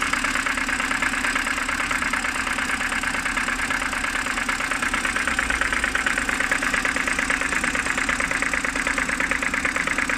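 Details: BMW N52B25, cold morning idle: sharp regular tapping a bit over two per second, seemingly from the oil filter housing side; cold-start knock, source unconfirmed.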